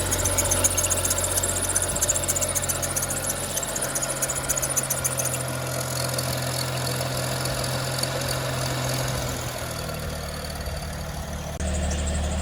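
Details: BMW 335i N55 engine around 70,000 km idling with a chirpy squeak that persists after tensioner/pulley work. Spraying water on the ribbed belt silences it only briefly; belt suspected, not confirmed.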